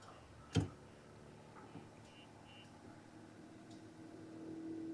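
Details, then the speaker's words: MidNite PowerFlo5 5.12 kWh LiFePO4 server rack battery powering a Club Car Precedent golf cart cut out when drawing over 100 amps; faint, quiet BMS beeps are heard over a quiet background, and the BMS button needed pushing to reset. "Oh, it cut out. So it did not like over 100 amps. Yep, and it died."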